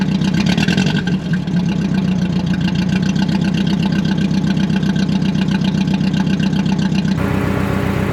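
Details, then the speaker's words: Budget Mercedes-Benz project car first start after cleaning corroded terminals, no exhaust fitted: loud open-pipe idle with a stumbling beat and regular drop-out about four a second, a misfire. "why it's running like that he's got a Miss in it"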